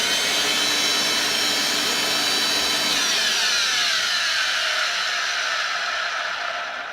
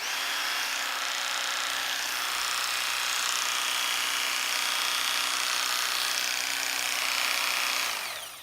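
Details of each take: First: Electrolux cleaner, cleaned out and switched on: high, hissy motor whine with a faint wavering pitch that sags near the end; motor sounds dry and could do with oiling. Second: Dog grooming clippers plugged in and running: steady high buzzing hum with a faint low tone, even until switched off; really good compared with other clippers, motor running smoothly.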